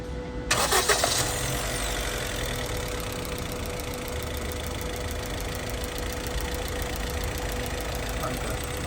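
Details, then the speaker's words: 2023 Honda City 1.2 petrol cranks, starts and idles slightly unevenly, with knocking and poor throttle response from a failed number 4 cylinder ignition coil (code P0354); the coil is to be replaced. "यह बिल्कुल race हम accelerator जब देते थे तो knocking करती थी और एक्सीलरेटर भी पूरा नहीं ले रही थी। वजहात थी इसकी कॉइल खराब हो गई थी।"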